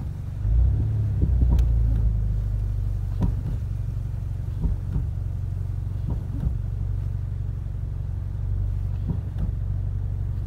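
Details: 2015-up Ford Mustang, about 81,000 miles, braking while moving forward (not reverse): sharp pops over road rumble from worn front lower control arm ball joint, located with chassis microphones; control arms replaced.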